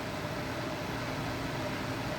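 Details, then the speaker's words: Replacement True Induction cooktop at full power, water nearly at a rolling boil: steady even fan-like hiss with a faint fixed tone near 600 Hz, no rattles; running normally, tolerable noise. "But I'm showing you right here and now that this brand, True Induction, is uh so far so good. I can tolerate the noises that this thing makes."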